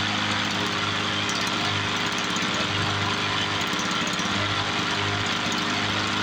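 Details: 1986 Toro 21-inch commercial mower with Suzuki two-stroke engine, apparently unrun for years, revived: steady, even two-stroke buzz holding speed without surging or missing; air filter needs replacing, carb to be blown out; normal running.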